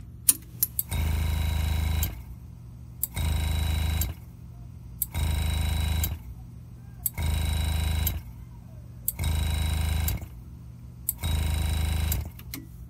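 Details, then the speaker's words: Small Harbor Freight pneumatic compressor (58 psi max, up to about 30 psi) feeding a GraverHelper engraver on handpiece 1: motor kicks on about a second, off about a second, repeating; short cycling because the handpiece leaks air. "happening is the air compressor is trying to stay at an equal pressure with the engraver. The handpiece, set number 1, is leaking air. When I hold it to my ear, I can hear it leaking air. And that's why this won't cut off for more than a second when I have the engraving machine on."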